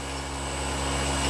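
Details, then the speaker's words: RC plane electric motor with a broken four-blade prop converted to a flat T-shaped three-blade prop with counterweight, statically balanced beforehand; steady hum with coarse rough buzz and rattle from 1/4 through half to about 80% throttle, prop imbalance vibration shaking mount. "yep, quite a bit of vibration. 3/4-ish to 80% throttle now. Yep, that's a bad vibration right there."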